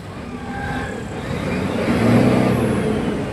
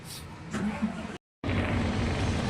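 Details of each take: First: Fuso 6M70 truck diesel after fix of low power, rough idle and check engine light (injector issue found on scan): revs up cleanly and evenly with a steady rising note, no misfire or roughness. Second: Fuso 6M70 truck diesel with check engine light and low power, before repair: starts and idles with a lumpy, uneven shaking rumble from faulty injectors misfiring; runs smooth after injector fix.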